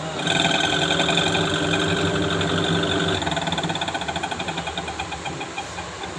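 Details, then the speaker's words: Panasonic Active Foam 8 kg washing machine, empty drum on spin: busy rattling whir with quick knocking about four times a second. Noisy drive during spin; gearbox and motor being checked. "Spin में आवाज़ आ रहा है, machine में कपड़े नहीं हैं। Check करते हैं प्रॉब्लम क्या है।"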